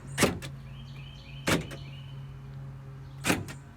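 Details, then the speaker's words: Ford King Ranch truck being converted to 7.3L diesel, tested on loosely connected wiring with no dash: steady low motor hum with a clunk at each start and stop as the power windows work, one window very weak. "always a good sign we've got windows are working"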